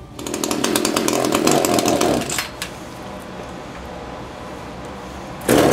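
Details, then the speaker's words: Echo CS-330T top-handle chainsaw, unused for years, hard starting and oil leak; screams raggedly, drops to rough idle, revs again, starving at high speed; suspected hardened fuel pump diaphragm, needs carb kit; engine bogging at high speed. "turn that high speed adjustment out a little sounds like it's starving at a high speed probably needs a carb kit"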